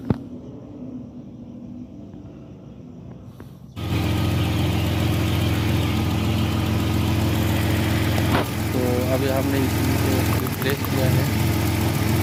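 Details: Older Nissan Maxima with a two-cylinder misfire traced to the ignition coil driver chip: engine fires at around four seconds and settles into a steady, even idle with no stumble or miss.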